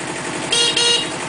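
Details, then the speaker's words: Kubota B7000 tractor with loader and backhoe at steady diesel idle, water temperature just coming up; engine revs back up with alternator load off, and a clear half-second horn blast sounds strong, horn working fine. "You can hear the engine rev back up with the load off the alternator, and of course the horn."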